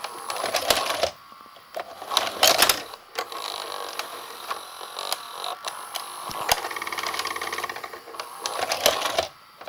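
Bursts of sharp clicks, clacks and whirring as the tape mechanism moves, much louder than it should be; cause not clear.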